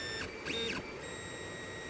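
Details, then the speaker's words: 3D printer during first-layer bed calibration, after backing the nozzle off the bed three adjustment steps from a too-tight, clicking setting; the stepper motors sing smoothly with no clicking and print normally. "so now it's not clicking and that looks pretty spanky to me"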